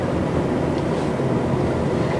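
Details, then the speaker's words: 2017 Honda Civic, 10th generation, Pakistan-assembled, on General tires. A steady, even roar of tires rolling on an empty road with no engine note above it. Annoying tire road noise. "there is a certain noise that noise is kind of annoying it's the tires rolling they have those general tires so on an empty road you do hear that noise and that kind of bothers you"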